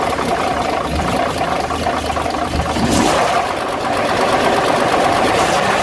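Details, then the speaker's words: Dodge WC52 old truck petrol engine at idle with an uneven clacking, rubbing clatter over the running note. "on l'entend comme un bruit de claquement, de frottement. Quand on prête bien l'oreille."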